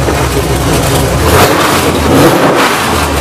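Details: GM ZZ6/CT400 (604) race V8 on a test stand with headers and carburetor, gauges and oil pressure normal: loud lumpy running with throttle blips and no knocking or rattles; healthy engine.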